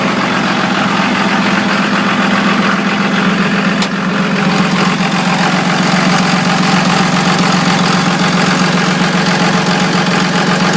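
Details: 2002 24-valve Cummins diesel at idle: lumpy uneven beat of roughly two or three pulses a second that doesn't settle; rough idle, cause not evident.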